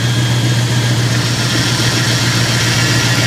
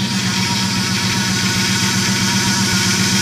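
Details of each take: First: Dodge Ram 1500 after replacing power steering pump with snapped shaft, bleeding air while turning wheel lock to lock: steady idle, no whine or groan; steering working, nearly quiet. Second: Dodge Ram 1500 just after a power steering pump replacement, which had followed a snapped pump shaft, bled by turning the wheel lock to lock at idle: steady pump whine as air still works out of the line; fluid needs topping up.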